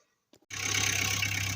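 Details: Skoda Felicia pickup, diesel with glow plugs, after about two weeks sitting with a flat battery that was charged: a couple of clicks, then it fires at once and settles to a steady, even idle; starts cleanly.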